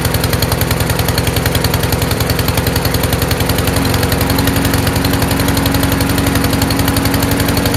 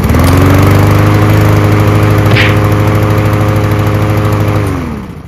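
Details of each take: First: Troy-Bilt TB240 self-propelled mower, Honda engine, after carburetor cleaning: runs lumpy and choked, popping about four times a second; automatic choke stuck closed, rich running and backfire until it opens. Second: Troy-Bilt TB240 self-propelled mower with Honda engine after a carburetor clean: steady, even beat at fast idle with no misses, then winds down cleanly at shutoff; normal running.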